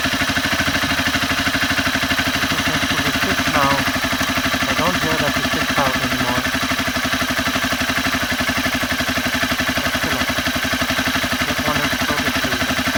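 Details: Honda CBR 250R single idling after tensioner adjustment attempt: even, fast ticking about four per second. Owner suspects loose timing chain, unconfirmed.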